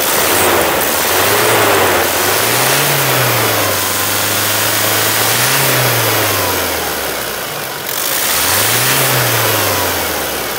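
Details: 2017 Toyota Hilux after engine replacement, the old one having seized under 180,000 km with water ingestion signs: engine idles, then rises and falls smoothly through three clean revs, no knocks or rattles; healthy.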